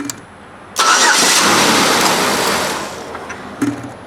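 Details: 2007 Buick Lucerne 3.8 after cleaning the main engine ground that was probably causing stalling, clicking no-crank and crankshaft position sensor faults: brief strong crank catches quickly into a steady idle with no clicking or hesitation; normal start.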